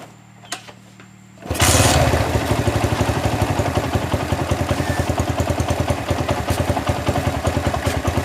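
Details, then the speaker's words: Honda GL Max motorcycle after cam chain replacement and carburetor cleaning, valves not adjusted, long unused: catches right away and idles with a steady even thump, no top-end rattle or carburetor popping; healthy. "Saya tidak menyetel klep, hanya mengganti rantai kam dan membersihkan karburator karena sudah lama tidak digunakan dan beberapa bagiannya tersumbat, sehingga menyebabkan mesin tersendat dan mengeluarkan suara letupan dari karburator saat dihidupkan sebelumnya."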